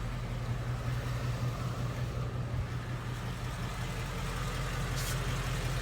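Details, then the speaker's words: Ford Mustang GT S550 5.0 Coyote V8, warmed to normal temperature, restarted, about 100°F ambient in Phoenix, mic at the fender. Smooth, even idle with only soft normal valvetrain patter, no igniter-type tick: healthy warm idle. "See how quiet that is? There's no barbecue igniter tick. There's really no infamous Mustang Coyote tick as well. All you hear is some valve train noises that are considered as normal."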